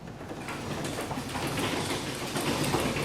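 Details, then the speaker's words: Garage door lowered manually after re-spraying a creaking hinge with lubricant: soft rolling clicks, no squeak or creak over the travel; fixed. "oh much better see no more creaking of the hinge"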